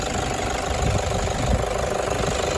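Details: Toyota 1KD-FTV D4D diesel, injectors done the day before, fine on a 20 km road test: uneven clattery rattle over the idle rumble, cycling about 10 seconds on/off from cold start, no scan tool yet; owner suspects water, later fixed itself.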